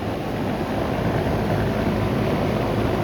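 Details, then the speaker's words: 2002 Goodman CKL outdoor AC condenser running; steady even hum from compressor and fan, no knocks, rattles or squeals; normal running. "It sounds good. Bristol's still kicking."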